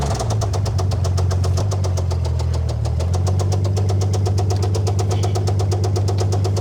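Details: Old Dodge Power Wagon flathead engine idling with a 12-volt coil and no cooling system. Sharp, regular rod knock, about seven a second, taps over a low idle rumble; otherwise it runs fairly well.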